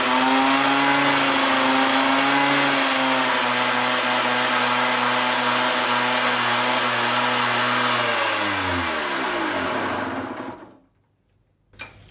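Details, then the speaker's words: Motorcycle/quad 12V charging-circuit test, engine held around 3000 rpm: a steady, even drone with no knocks or misses, then a smooth wind-down at shutoff. It read about 14.3 V, so the regulator and charging are normal. "qui démarre la motor et tu l'as fait aller aux alentours de 3000 tours"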